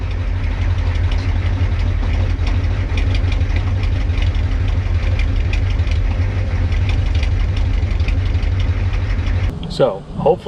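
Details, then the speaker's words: Ford 6.9/7.3 IDI diesel pickup, fuel system drained and primary still holding some fuel: chugs at a steady idle, then stumbles and dies near the end. Stalls from air in the fuel system reaching the injection pump. "So, you start it and it runs and then as soon as the air gets to the pump, it dies."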